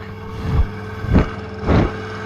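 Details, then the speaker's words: Saxon wood heater blower fan gives a steady low drone with a thin whine, broken by short air blasts; noise caused by fine dust in the motor bushing and bearing. "what it is it's got dust in the end of it in here and dust in the other side of it in the bearing in this site that real fine"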